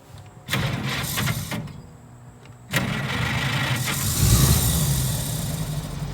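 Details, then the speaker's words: Ed and Lorraine Warren's 1933 Chevrolet Master Eagle sedan, after fixing 8-volt battery and rebuilt generator (previously moaned when cranking): short crank catches quickly, settles into steady low idle with no moaning or dragging; normal healthy start and idle. "healthy. It starts right up."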